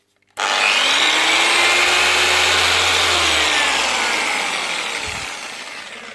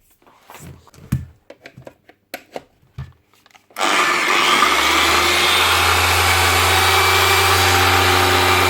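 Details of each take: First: DAS6 rotary polisher, a budget machine that has seen a lot of work, spins up with a harsh grinding roar over its motor tone; the pad is flapping loose and the motor bearings have failed, to be replaced along with the pad. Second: DAS6 6-inch rotary polisher after replacing failed rotary bearings with two NSK 6001 bearings and fitting a new pad: a few handling clicks, then it spins up to a smooth, steady whir with no rumble or grinding, normal running.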